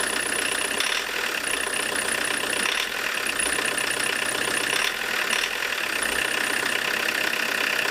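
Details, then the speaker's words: Diesel with Lucas DPC injection pump, injection timing set 0.5 mm more advanced than TDC mark: hard tractor-like clatter at idle, black smoke, power dropped; harsh knock from over-advanced injection timing. "Видите, как трактор работает. Дым вроде такой черный идет, да, жесткая работа,"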